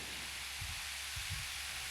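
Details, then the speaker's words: Cross-ventilation fan after bearings cleaned and re-oiled to cure loud screeching, drawing about 1.3 A: soft, even airy whoosh with no squeal or scrape; bearings running quietly. "The best part, when you turn it on, you hear fan noise, not extremely loud screeching."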